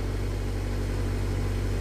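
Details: Nissan Grand Livina started using emergency method despite remote key fob failure, likely dead remote battery: smooth, steady low idle hum with no misses, knocks or hunting; engine idles evenly.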